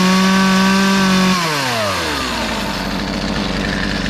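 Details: Poulan 2450 chainsaw with 18-inch bar, reassembled after chain, bar and handle work; high steady full-throttle buzz drops in pitch as the chain bites into wood, then holds evenly; cutting normally.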